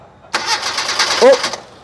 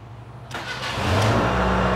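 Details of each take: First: Proton Wira no-start: about a second of starter cranking that never catches; the test light on the distributor supply goes out while cranking, so the ignition switch is cutting power and no spark reaches the plugs. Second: Proton Wira after its faulty ignition switch was replaced: brief crank, then the engine catches straight away and settles into an even, steady run; starts cleanly with no hesitation.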